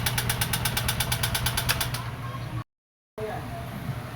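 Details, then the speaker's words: Honda TMX125 Alpha single-cylinder engine at idle before teardown: a sharp, rapid metallic clatter of about eight ticks a second. Top-end parts found worn because an oil passage was blocked by excess gasket sealant. "idol ito na yung maingay sa TMX Alpha nabaklas ko na ito na yung nakita kong maingay sa kanya"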